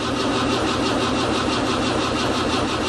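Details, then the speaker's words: John Deere Gator diesel, another cold start after months unused: slow, uneven churning at about ninety pulses a minute, labouring to fire; hard cold start, a glow plug was suggested to help, cause not confirmed. "Another cold start."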